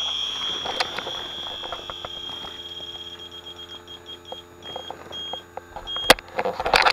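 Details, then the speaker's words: Aging home air conditioner low on refrigerant, leak search at the evaporator coil with an electronic detector: shrill beeping quickens into rapid bursts at the coil joint behind a line, oil found there; refrigerant leak at evaporator. "see that was a false positive note nope well guys we found our leak"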